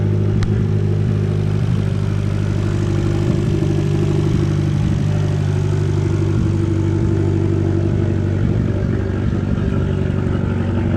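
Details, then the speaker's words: 2012 Fiat Abarth with an ongoing misfire problem, idling: steady idle broken by an occasional stumble about every second; intermittent misfire at idle, cause not confirmed. "almost started up again that you guys here that lasted miss one more time so you're cringing over there I'm sorry but it's all wrong"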